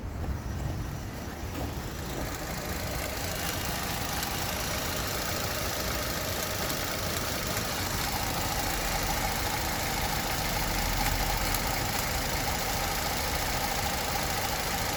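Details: Opel Astra petrol engine idling rough and shaking, faint clicks and knocks about three a second felt in cabin; spark plugs and coil pack already replaced, no fault codes.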